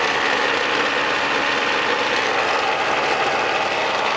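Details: 1999 Snapper SX5200E single-stage snowblower, Tecumseh HSK850 2-cycle 5 hp 139cc engine, after cold start: steady buzzy two-stroke drone at even speed like a boat motor, slight normal smoke, no misses, surges or knocks; runs clean.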